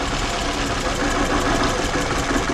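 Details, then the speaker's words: 2012 Scion xB with 2AZ engine at idle during coil-disconnect misfire test: rough, lumpy, stumbling idle with heavy shaking, running on two cylinders; misfire, problem traced to cylinder one. "there's a change on number three as well and the last one number four there's also a change the engine is shaking a lot more"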